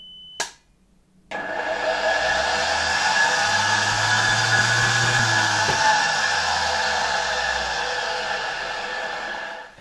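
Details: Polish RFSG vacuum cleaner (ca. 1953–56) fitted with a 1961 SK-5 replacement motor, run after rewiring: spins up to a steady, even whirring hum with constant high tone and no rattle or scrape; runs healthy.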